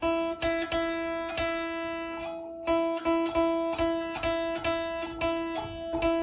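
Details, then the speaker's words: Kit guitar with locking nut, after filing the buzzing string slot: the same note plucked repeatedly rings clear and bell-like with no buzz or rattle; problem solved. "That's a beautiful thing right there. You can hear the difference right away. No difference whatsoever."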